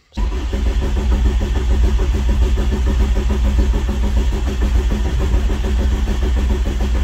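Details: VW Rabbit pickup, first crank after build with main barrel connector unplugged, watching oil pressure gauge: steady, even starter cranking with a regular low thump, engine spinning without firing to prime oil pressure.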